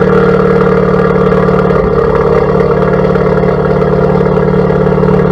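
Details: 2017+ Honda Civic Type R FK8 with Borla Atak exhaust, PRL catless downpipe and PLM catless front pipe: deep, even burbling idle, steady low drone, loud free-flowing exhaust, no knocking or misses; normal idle.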